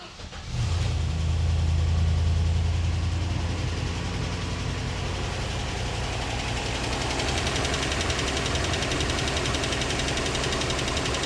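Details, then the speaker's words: Land Rover Series 2A on unleaded petrol after years on LPG, new fuel pump, retried with choke after suspected flooding: brief crank, catches, surges, settles to steady even idle; carb still dripping; normal start and idle. "Well, running. He's running. Okay. Okay. So, we got that running."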